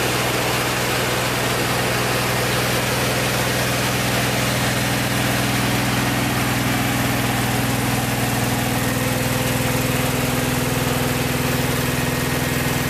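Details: Vintage VW air-cooled flat-four from a 1956 Beetle barn find (not original engine), first run after 23–24 years stored, after carburetor work: even steady idle, smooth low thrum, no knocks or rattles over thirteen seconds; healthy.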